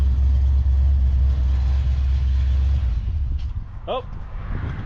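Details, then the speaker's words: Abandoned 1968 Plymouth Satellite V8 pulled from a scrap pile, first run after sitting: deep even rumble, steady beat, no knocks or misses, smooth idle before it apparently runs out of gas; owner suspects it runs rich and later floods. "Dang, and it sounds pretty good."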